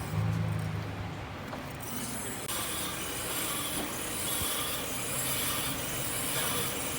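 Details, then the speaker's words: Blue Subaru on a lift after third-party brake pad replacement, wheel also loose with a missing lug nut on the other side: scratchy metallic scrape pulsing about four times a second as wheel spins; brake pad dragging on rotor, installed incorrectly. "And then on this side, the brake pad is dragging. Like, if you can hear that sound."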